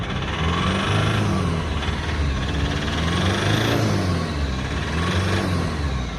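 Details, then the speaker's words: Foton Tunland diesel, injectors refurbished twice (two redone) and fuel tank cleaned, still smoking; revs rise and fall with rough, uneven clatter under the rumble: diesel knock, usually caused by a faulty injector, replacement injector awaited. "listen to the engine yep that's a diesel knock usually caused by faulty injector"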